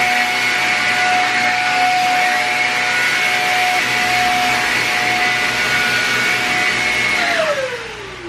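Steady, even high motor whine with a constant pitch, winding down smoothly at switch-off; vacuum running normally.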